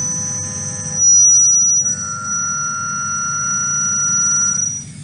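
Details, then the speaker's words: Milling a lightweight thin-walled tube: piercing steady high whistle over cutting noise, sound sensor measures chatter at 5,800 Hz from the cutting tool, far higher sound pressure than stable cutting; tool chatter. "you hear high pitched sound. So here is actually sound sensor which detects chatter. The frequency is 5,800 hertz, which is a very high frequency, which comes from cutting tool."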